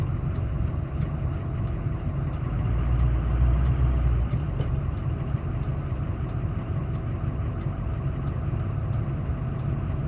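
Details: 2005 Ford F350 6.0 Powerstroke diesel at idle: faint steady whine over the low rumble, more pronounced after intercooler boots, fuel pressure regulator, glow plugs, harnesses and filters were replaced; source unknown.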